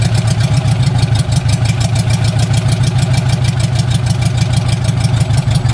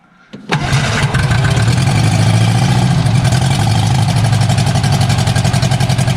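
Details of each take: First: Barn-find bug-eye Sprite stored 30-40 years, after starter rebuild, idling on its own with only exhaust manifold fitted: loud raw even popping idle, no misfires; sounds not too bad. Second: Barn-find bug-eye Sprite stored 30-40 years, first run after starter rebuild, no exhaust, only the manifold: loud unmuffled hard pulses, cuts out when ignition lead shook loose, restarts.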